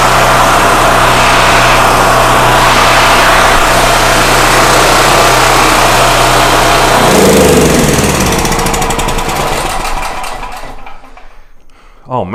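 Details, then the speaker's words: Generator after carburetor cleaning and new gasket, fresh gas replacing old fuel: strong even buzz at constant speed, then smooth wind-down; runs perfectly and powers a drill. "you couldn't ask for that thing to run any better than that well it should the carburetor is absolutely spotless and it's got fresh gas in it"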